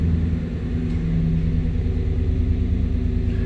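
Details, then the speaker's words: 1993 Chevy C1500 5.7L V8 (VIN K) after repairing code 54 fuel pump relay circuit fault, no codes: deep, even rumble at steady idle with no misses, knocks or stumbles; running healthy. "oh she fires up nice now no codes"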